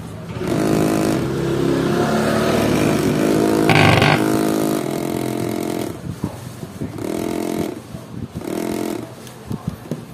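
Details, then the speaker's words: Electric massager, owner complains it is noisy: motor buzzes in bursts with a harsh, buzzy rattle and excessive vibration over its hum, intermittently quiet; motor rattling loose in its mount. "Ang problema nito maingay. Testingin natin. Maingay daw sabi ng may-ari."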